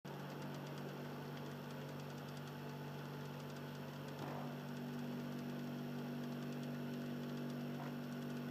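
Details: Xbox 360 Slim Philips DVD drive in standby: steady low two-tone motor hum, lower than before, with a faint rough grinding edge throughout; drive motor sounds worn.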